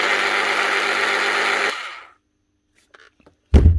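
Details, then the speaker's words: Bosch hammer drill with a burnt armature: on switch-on, a thin, strained whir of under two seconds that winds down with no hammering. "It ain't doing much. You can hear her cooking."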